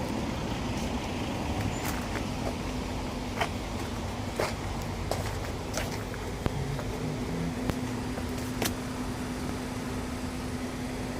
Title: Whining noise when braking isuzu